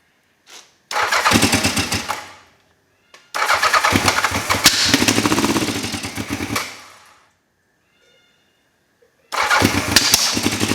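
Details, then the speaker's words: Old motorcycle at first look: cranks, catches and revs in ragged bursts, dying between tries; owner guesses timing. Rough running, cause suspected. "Yeah, sounds like something's not right. Um I'm I'm guessing timing, so I'm going to call it a night now."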